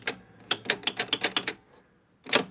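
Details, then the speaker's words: Gottlieb Top Card pinball machine under repair: crisp bright clicks in quick runs of about eight steps, then a pause and another burst; ball count unit stepping normally. "and I guys a ball count unit on this machine looks like the credit unit functions okay"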